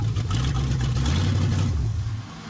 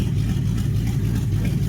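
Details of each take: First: 1969 Chrysler 300 V8 during revival: catches and runs rough about two seconds, then dies when the key returns from crank; first suspected ballast resistor, later traced to bad ignition-switch wire at bulkhead connector. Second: 1969 Chrysler 300 V8 running again after fixing ignition-switch wire at bulkhead connector, open exhaust manifolds without side pipes: deep, loud, even burble, steady beat, no misses or knocks; healthy idle, "demo derby" sound.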